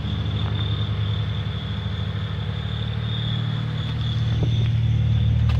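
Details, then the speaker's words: 1996 Honda Prelude SI (Japan swap) after replacing four bad fuel-wet spark plugs and wires that caused crank no start, no codes: smooth steady low rumble with faint high whine, no misfire; normal running. "changed all four change the plugs we got sparked now it's on no codes no nothing"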